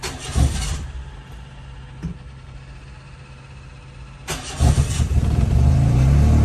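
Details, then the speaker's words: 1985 Ford Laser KB GL, Thai-market, throttle body fuel injected, new but still loud exhaust: engine cranks, pauses, then fires into a rough uneven idle; hard starting, owner says letting the fuel pump run a while helps, fuel delivery suspected. "I think sometimes this thing needs a little help you just let the fuel pump run for a while"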